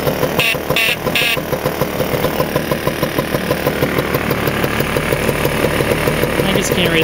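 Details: Vespa scooter two-stroke with freshly rebuilt head, restarted after cooling down, on 3–4% break-in oil mix that makes it smoke a little: catches after a few pulls and settles into a steady, even popping idle with no knocks; normal start and idle.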